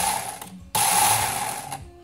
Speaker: unless sound like it's a little too tight just a little too tight